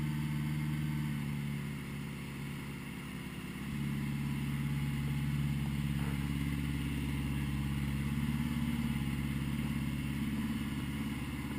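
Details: 1980 Honda GL1100 on a slightly cold start at 54 degrees after a rebuild, with carbs synced. A smooth, steady flat-four hum with a couple of easy blips that rise and settle cleanly, with no hunting or misfire; normal running.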